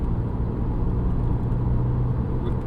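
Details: 2007 VW Golf GT TDI, 2.0 diesel BKD, 140 hp, in second gear at about 3700 rpm: a steady low humming drone throughout the car, also present at about 1800 rpm. The owner suspects a driveshaft or wheel bearing.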